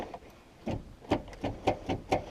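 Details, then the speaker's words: Truck starter being tested with a known-good battery: sharp single clicks about every quarter second with no motor whir after them; the solenoid engages but the starter motor is dead and needs replacing. "see we just hear the that big click that means that the motor in it is totally dunzo and again the battery in this truck is good"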